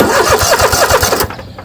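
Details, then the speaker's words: Troy-Bilt zero-turn mower, Kohler 7000 series engine, after carburetor replacement (gas found in oil): quick, even starter chugs about ten a second that never catch; fuel shutoff valve left closed, so no fuel reached the carburetor. "ah because the carburetor is not full of fuel it's going to have to crank for a little bit first oh wait the shutoff valves on oh yeah we forgot put a shutoff valve in here forgot to turn gas on"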